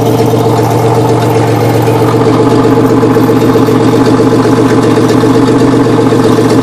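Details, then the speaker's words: 1993 Chevrolet Beretta GTZ 3.1L V6, 178,933 miles on the car with a replacement engine of about 110k, idling rough with a loose metallic rattle about four per second. Owner attributes it to a makeshift exhaust job. "so it's got a lot of rattle to it it's because i did a uh a pretty redneck job on the uh exhaust"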